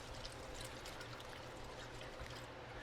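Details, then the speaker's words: Brand-new rear shock absorber for a 2025 Chevy Silverado 2500 HD, worked by hand: quiet watery gurgle and trickle of fluid moving inside; possibly aerated or underfilled. "You hear the fluid in there?"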